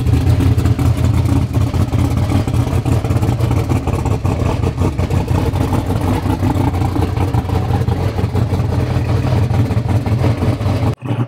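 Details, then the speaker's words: 2000 hp street Corvette Z06 with a V8, first start after about a year unused: loud lumpy idle with a harsh metallic rattle on top from the billet torque tube, not the engine; the rattle disappears once off idle. "right guys if you guys hear a hellacious rattling sound it is the torque tube in that car it's got some like ridiculous billet rpm torque tube and that's what you guys are hearing so as soon as it comes off idle it goes away but it sounds like hell"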